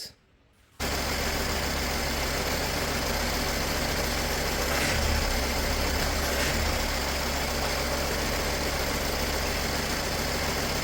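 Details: 2007 Mercedes-Benz ML320 (W164) after power steering pump replacement with fresh Pentosin CHF 11S fluid; steady, even engine idle with no whine or groan from the steering pump, now quiet and healthy.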